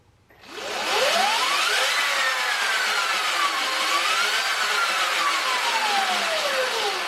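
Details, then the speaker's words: Electric bike after installing Luna Cycle primary drive 219 chain conversion kit (replacing belt): loud whine rising and falling with motor speed plus chattering chain rasp; louder than expected, owner unsure whether he shimmed it right. "yeah it's kind of it does sound louder okay people are saying it sounds similar to the wooden at the belt but it sounds pretty loud maybe i didn't shim it right i'm not sure"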